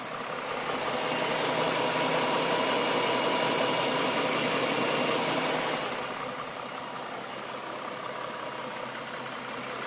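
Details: 2011 Ford Mustang V6, stock engine, 24,000 km, idling: even idle with a fast, regular light knock near three per second over injector ticking, from the passenger-side cylinder head; owner suspects engine knock, unconfirmed.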